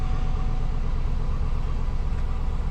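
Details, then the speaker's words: GM LS-engine Cadillac Escalade, 227,000 miles, first start after oil pressure sensor replacement: deep, smooth V8 idle with even low rumble, no knocking or ticking; gauge rises to good oil pressure, engine healthy. "motor sounds good so I'm assuming it's good but one way to find out let's start it up"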